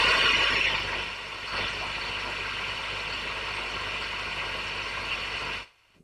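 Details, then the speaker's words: Valve amp, controls turned up and dimed, listening for pops and crackles at idle: steady, even hiss, then it cuts off, with no pops or crackles. Slight hum at full volume; normal idle hiss. "okay enough of that um so sound all right to me usual amount of of hiss for an amp of this particular um ear style I I've got everything dimed there so I'm exaggerating how bad it is"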